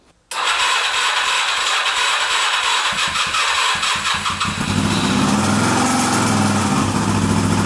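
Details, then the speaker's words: Suzuki GS250 motorcycle at cold start then revving, after valve clearance adjustment and cam chain tension and tensioner spring work: light quick metallic top-end tapping that sharpens with revs, milder at idle; cause unclear, piston rings or bearings suspected. "so that didn't sound too good unfortunately they're still tapping there and as you can hear yourself it's with the revs once you pull once you give it some revs it starts tapping on idle lower down it's not so bad"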